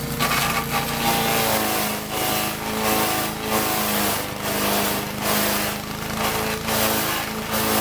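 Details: Troy-Bilt chipper shredder model 24A-414B711 test run after new carburetor fuel line fitting, oil change, new tires and oiled recoil, feeding dry sumac branches: steady small-engine drone with crackling chipping bursts about each second, holding speed well; normal operation under load.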